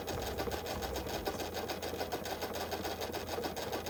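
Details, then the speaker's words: Restored VHS rewinder rewinding a cassette, with a shock-absorber-like lever that cuts off under load: steady motor whir, even ticking about three per second, no grinding or snatching, slows and stops cleanly; normal rewind. "யூசுவலா இந்த கேசட்ட நான் ரிவைன்ட் பண்ணும்போது கட்டாகி கட்டாகி வரும். மத்த ரிவைண்டர் போடும்போது but இதுல வந்து பக்காவா rewind ஆகி ஸ்லோ ஆகி நின்னுருக்கு."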